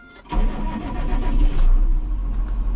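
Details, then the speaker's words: Tractor diesel at start-up and idle: deep, uneven, lumpy rumble; rough running blamed on regenerated injectors, worn after over 2,000 engine hours. "właśnie wychwyca już coś ten silnik pracuje nie tak No zasługą tego i głównym winowajcą są po prostu wtryski"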